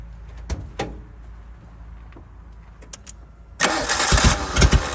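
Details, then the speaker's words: 1988 Suzuki Samurai parked since the late 1990s, first start on a temporary gravity-fed fuel tank: a few clunks, then it catches and runs unevenly with lumpy surges. The owner suspects fuel starvation and plans to hang the tank higher. "I just think it has a hard time getting fuel into it."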